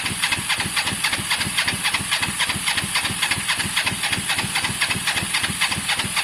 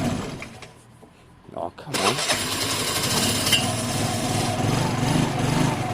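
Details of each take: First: Motorcycle after rebuild work, with spark, fuel and possibly a clean carb: steady cranking of about four even chuffs a second with a hissy top end; it never fires. Owner suspects caked spark plugs, which were only hand tight. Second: Motorcycle whose engine has a genuine 15,000 on the clock: catches after a couple of seconds, then settles into a steady, even run with no knocks or misses. It runs and rides fine, gently rather than strongly.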